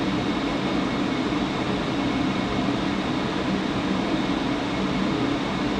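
Constant droning hum with a steady buzz underneath, no change over the clip; the blower is buzzing, cause not yet known.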